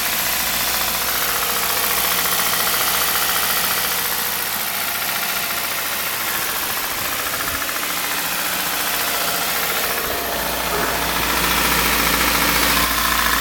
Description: Металический стук двигателя